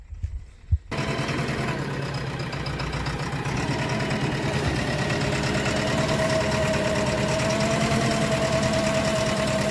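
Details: JCB 3DX BS4 diesel backhoe: cranks and catches, then rough idle with uneven knock about three per second; possible injector fault.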